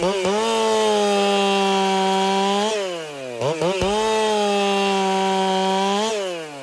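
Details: Racing-build chainsaw, either a Dolmar 7900 or a Holtzfforma 395, tuned noticeably fatter, which the owner fears may cost power. Two clean cuts at a steady, crisp high rev, falling back smoothly between them; strong even pull, normal running.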